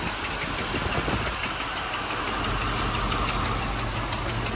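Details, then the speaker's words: 1985 Mercedes 500SEC Euro, warm idle in Drive with the brake set: rough uneven knocking about three beats a second, heard from the passenger side. A misfire appears only in Drive and under acceleration; exhaust was also considered. Cause not confirmed. "all right so the car is in drive and you hear this noise it's coming from the passenger side come down here it's not the driver's side"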